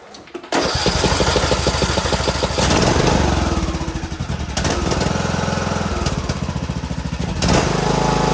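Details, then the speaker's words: John Deere D105 lawn tractor Briggs engine after carburetor cleaning and hooking the spring back up: small single-cylinder holds a steady speed with no surging or hunting, sounds way better and is running smoothly. "Yeah, that sounds way better."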